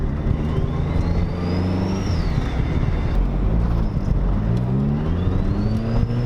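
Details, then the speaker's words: Turbocharged Miata with EFR turbo and new twin-disc clutch, about 130 wheel horsepower, first drive in 16 months at low rpm: clean whistle climbs in pitch with each pull and drops at the shift over a steady engine note; turbo spooling normally. "can you hear the efr can you hear the turbo spooling"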